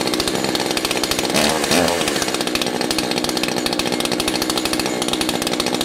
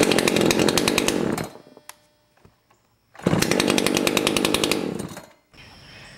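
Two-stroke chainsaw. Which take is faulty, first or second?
first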